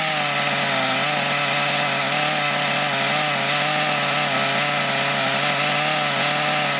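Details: Thunder Tiger EB4 S2 Pro nitro RC buggy, eBay shed find stored for years, first run after revival with reasonable compression: high buzzy two-stroke scream runs well but wavers up and down slightly, uneven revs.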